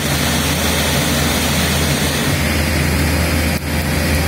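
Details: MacBook Retina 13-inch just switched on, before any apps are opened: the cooling fan roars at full speed with a steady airy rush over a low droning hum, excessively loud.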